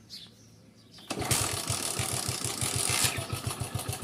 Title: Hero splendor plus timing chain noise problem🤔/इंजन की आवाज को सही करे कम खर्चे में🥰